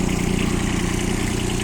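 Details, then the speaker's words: Kubota Aste A-13 four-wheel-drive mini tractor diesel, 237 engine hours, idling in winter at minus 15; steady, even low chug with no knocks or misses, runs smoothly without complaint; normal idle. "Я думаю, что слышно, работает ровно, без нареканий. Хоть и зима у нас сейчас минус 15."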